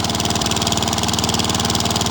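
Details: Old Victa mower with Tecumseh TVS90 engine, test run after replacing rusted engine mounting bolts, with a small fuel bowl seal leak: steady, even firing with a crisp, constant beat and no misses or knocks; engine runs smoothly and healthy.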